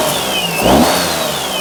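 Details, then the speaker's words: Perodua Kenari after drive belt tension adjustment, idling with electrical load on: steady even idle, faint thin tone wandering above, no screech; idle control slightly variable but belt quiet, normal. "load idle control is sometimes a little variable on Desmond it's not bad though that sounds all right I think we're good"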